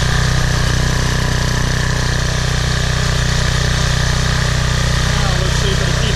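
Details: PowerFlow pressure washer, Briggs & Stratton 190cc, after carburetor cleaning (clogged bowl jet, dried ethanol gas after sitting over a year): steady even beat, about three to four pulses a second, no stumbles; runs smoothly.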